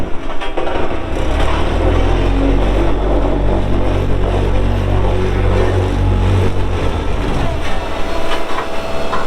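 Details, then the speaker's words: 2018 Dynapac CC5200 double drum vibratory roller with 135 hp Cummins diesel, 77in drums and 6,764 hours. Deep, steady diesel rumble over an even, heavy drum-vibration drone; runs well, both drums vibrating, no oil leaks seen. "so here in a little bit we'll fire it up and you'll see that it runs good both drums are vibrating as I get up close to them here"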